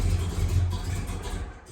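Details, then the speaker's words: Truck called Myrtle after a new gas tank and sending unit: a deep, smooth engine note settling after a throttle blip, no knocks or rattles, still runs fine; normal revving, healthy engine. "beautiful okay still runs we're all good road trip still going"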